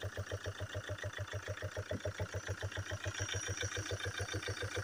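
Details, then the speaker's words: 2.0 diesel Chevrolet Captiva/Antara: sharp, even knock at idle, about 3.5 per second, that fades once warm. Cause found: worn camshaft journals with a rocker arm dropped out; camshaft and rockers to be replaced. "а вот и причина как я и подозревал распредвал сточенный шейки все потеряны 4 сточенный даже коромысло рокер выпало"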